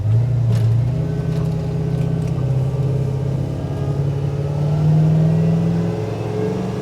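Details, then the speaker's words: 1968 Chevy truck with an LS swap (5.3, Turbo 400, 600-lift cam): under light throttle the engine drone climbs slowly with no early shift. The transmission upshifts late, around 3,000 rpm, and the vacuum modulator needs adjustment. "I mean I'm just barely on it and it's just like it won't it'll shift at like 3,000 RPM just barely on it definitely needs an adjustment on the vacuum modulator"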